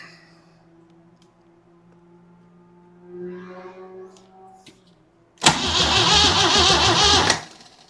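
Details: Jeep CJ7 inline six, weak starter/solenoid with Bendix kicking back: a couple of seconds of steady cranking with no catch or firing pulses; crank-no-start traced to crossed spark plug wires, and no fuel in the tank.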